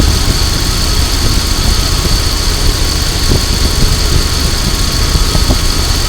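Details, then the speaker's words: 2000 Dodge Durango 5.9L V8 after ignition coil replacement, ignition cycled four times before cranking: starts first try, deep even rumble, faint steady whine, no misses or knocks; normal idle. "Okay, so as you can see, it started on the first try, and you might have heard that I clicked the ignition on and off 4 times"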